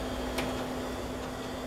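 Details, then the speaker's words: Centurion minicomputer's two Hawk disk drives at boot: steady low platter hum with a sharp clack as the heads return to zero (RTZ), normal before the operating system boot. "I heard both Hawk drives do RTZs. It's going to start booting into the operating system."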